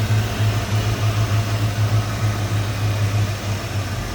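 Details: 1986 Ford Mustang GT convertible, 5.0L 302 V8 with aluminum radiator, idling with the hood open: deep, steady burble with even, regular pulses and no ticks or misses; normal healthy V8 idle.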